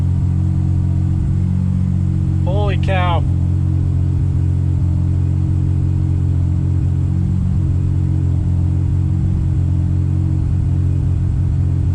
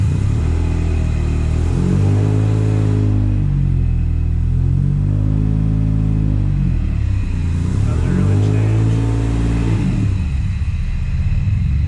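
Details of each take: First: Subaru Impreza with EG33 flat-six after a wiring error was corrected: steady, even low idle with no miss or stumble, same AFR on both banks; problem fixed. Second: Subaru Impreza with swapped EG33 flat-six, one bank very lean, other very rich: lumpy, stumbling engine blipped twice, uneven beat through the revs.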